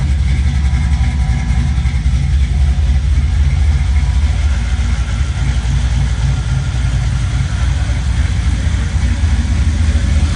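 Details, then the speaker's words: 1965 Chevy Nova V8 with new cam, first start after throttle plate adjustment and TPS reset: deep steady idle with even lumpy chop about three to four beats a second; healthy big-cam idle. "dude it's got a little chop I'm glad you put the cam in actually sounds good"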